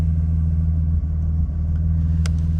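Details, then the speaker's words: BMW E46 idling with a recurring camshaft position sensor code despite a new sensor; ran better after topping up oil, owner suspects it needs an oil change: steady idle hum with two brief dips; misfire stumble at idle, cause not confirmed. "You can hear it when it when it stumbles. That misfire."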